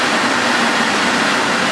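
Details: Refurbished Electrolux 4x4 vacuum after restoration, filters fitted, run without electronic hose so it goes straight to max: steady, even high rushing roar with no pulsing or rattles at full power.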